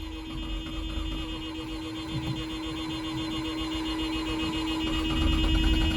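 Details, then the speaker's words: 1984 Mazda RX-7 GS 12A rotary, new battery, fresh gas, starter fluid: the starter churns with a steady whine and uneven low chuffs and nearly fires but never runs. Crank no start; owner considers a compression check and plugs. "Let's see what she does now. Come on, Leonard. She almost took off. Let's try it again."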